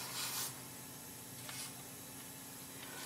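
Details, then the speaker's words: 2005 Toyota Tundra, leak-down test with engine held from rotating: steady soft hiss of air escaping from cylinder six back through the intake manifold and out the throttle body; no leak between companion cylinders; recently redone head, intake valve suspected misadjusted or damaged. "all right i have a significant amount of air leaking from cylinder number six back up through the intake manifold and out the throttle body here"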